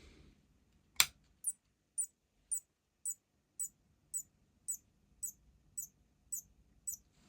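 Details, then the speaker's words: Focusrite Scarlett 18i20 2nd gen with no power, switching supply (LD7535) at 0.5 A: sharp thin ticks repeating about twice a second as it enters current-sense protection; overload suspected on the mainboard. "This is the .5 amperes and SMPS power supply going to the current sense mode."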